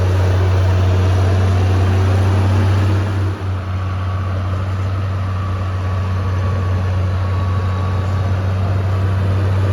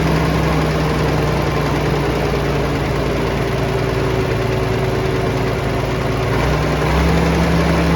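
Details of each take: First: Vintage Allis Chalmers TL-14 loader diesel, warmed up after about half an hour of snow plowing: steady, deep drone at a fast, even pace; idle too high, screw needs turning down slightly, though lower setting won't keep it running cold. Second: Vintage Allis Chalmers TL-14 loader diesel, warm, after idle screw turned down: low, steady rumble with an even beat and no misses or knocks; idle settled and healthy.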